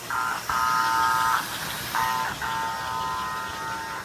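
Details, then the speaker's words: American Flyer 326 small-motor Hudson after mechanical and electrical repair, running at half speed: the Air Chime whistle blasts clearly while the motor hum barely drops, showing the whistle and actuator work properly. "While it's running, you can hear the Air Chime whistle when it's actuated."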